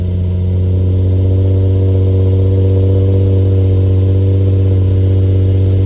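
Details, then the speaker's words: Infiniti G35 Sport HR sedan, nearly warm, after tightening loose ISR Y-pipe bolts that caused an exhaust leak and high idle; starts and holds steady, deep, even idle with no ticking or puffing. Normal idle. "Alright, my car is not fully warmed up, But it's pretty warmed up now. And yeah, as you can see, you feel me? It's good. It's looking good."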